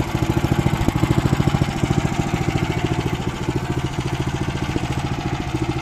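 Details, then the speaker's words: Weima single-cylinder engine, barely made it home, revs hunting about three and a half beats a second; carburetor suspected, possibly the speed governor; later a cracked fuel line found, fuel drained, carburetor to be removed and flushed. "оберти плавають скорше за все це карбюратор але може бути таке що і регулятор обертів теж вийшов з ладу"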